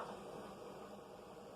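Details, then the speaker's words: Proscan LED TV headphone jack feeding a stereo via auxiliary cable: steady, even hiss, gone when cable unplugged or stereo on other inputs; hiss from TV headphone output. "But plug it back into the back of the TV's headphone jack, which I should be careful. It does that. The hissing comes back."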